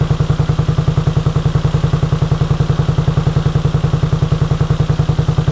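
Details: 1983 Honda VT250 V-twin, about 63,500 km, just revived project bike: even steady idle pulsing about 3.5 beats a second, no knocks or rattles; healthy, though it needs a tune-up.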